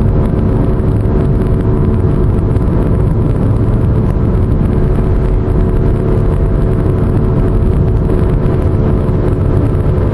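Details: Pontiac with a steady low droning hum over road noise at cruising speed and no knocks. The owner suspects a bad wheel bearing, which is unconfirmed.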